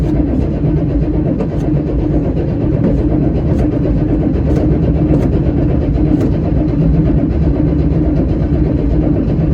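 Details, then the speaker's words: 1979 Chevy Suburban 8-door shuttle cranking, 30 psi oil pressure building: turns over steadily but never fires; no fuel visible in the fuel filter, no-start from no fuel delivery. "See if we got any fuel in our filter. I don't see any fuel in our fuel filter there."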